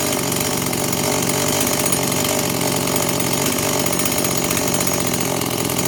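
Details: Stihl MS 180 chainsaw rebuilt with Chinese WINZOR parts including the crankshaft, first start on fuel-oil mix, with a slight carburetor adjustment: smooth, even, high-pitched buzz with no surging or dropouts; runs normally and steadily.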